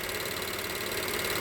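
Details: Direct-injection engine at idle: fast, light, even ticking over a quiet idle. This is the high-pressure fuel pump, loud but normal.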